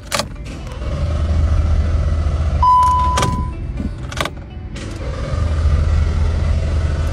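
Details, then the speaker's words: Car that will not start, unresolved by three garages: the starter churns steadily at about three to four beats a second but the engine never fires; the ignored part is a camshaft solenoid valve. "Tu as vu ? Cette voiture ne démarre pas. Peu importe ce qu'on fait."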